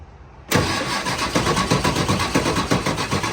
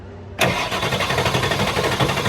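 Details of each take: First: Ford F550 7.3L Powerstroke diesel with newly installed injectors and glow plugs, jumped: sluggish cranking, about four labored compression pulses a second, no start; batteries weak after sitting months, put on charge. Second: Ford F550 7.3L Powerstroke diesel after new injectors and glow plugs, weak batteries that sat for months, jump-charger on 200 A start: fast, even starter churn without dragging, ignition off, refilling drained high-pressure oil system; normal cranking speed.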